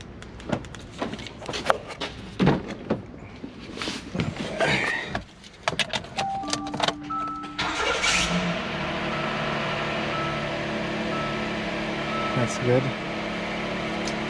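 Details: 2017 Hyundai Santa Fe XL 3.3 L after starter replacement for a no-start: clicks, a short crank, then the engine fires into a steady, even idle; normal start, though an odd squeak, possibly belt, followed.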